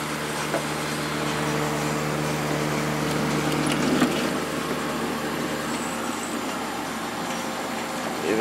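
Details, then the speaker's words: Late-90s 40-pint Whirlpool Accudry dehumidifier, Embraco reciprocating compressor, Emerson fan motor, opened up: steady low compressor hum under even fan whoosh, no rattles; normal running, evaporator and return line getting cold. "the return line is getting a little cold. So it definitely works."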